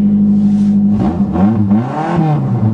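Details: Car not started since November 2008, cold start after sitting: engine catches and revs up and down smoothly with an even, steady note; normal cold start.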